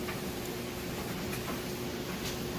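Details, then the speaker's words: Kenmore electric dryer (matching set with washer, being readied for resale) tumbling a load of freshly washed clothes: quiet steady drum hum with soft light ticks, level, no scraping, thumping or shaking; running normally. "good. Nice and level. No weird noises or shaking. Those are all things you'd want to check. So you can see that it's running great."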